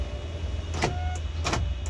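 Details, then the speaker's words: 2012 Isuzu Panther Grand Touring, brown, about 120,000 km: short even electric whirr of the power window motor over steady engine idle, no grinding or strain; power window works normally. "untuk power windowonya ini juga kita cek powerya juga normal ya pintunya normal"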